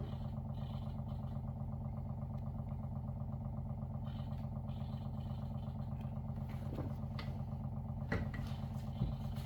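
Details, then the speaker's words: WaterFirst Dr.Water Y countertop 5-stage reverse osmosis purifier, new, first setup, filtering cycle with bubbles rising: steady low hum with fast even pulse, no rattle or strain; normal pump operation. "Sure, sounds like it's working. Yeah, you can see it's working. See these bubbles coming up there? That's a normal part of the process."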